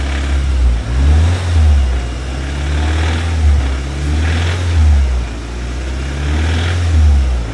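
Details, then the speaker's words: Audi S1 with metal filings found in the sump: a deep, heavy knock rises and falls with throttle blips over a loud exhaust; a bottom-end knock, owner hopes con rod bearings, not confirmed. "Does sound very bad."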